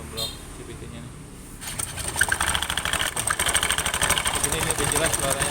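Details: Scooter with damaged CVT rollers, noisy and reducing performance, needing replacement: engine catches after a quiet start, then an uneven rattling clatter sits over the idle; worn CVT rollers.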